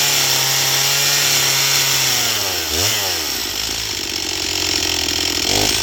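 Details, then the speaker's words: Stihl MS241 C chainsaw with computer-controlled carb, after Seafoam, dull chain, cutting pine: high-pitched two-stroke holds steady revs under load without bogging; normal clean full-throttle cutting, though getting it started remains the problem. "But uh at least now it will cut. And it runs seems to run. It runs great on the high side."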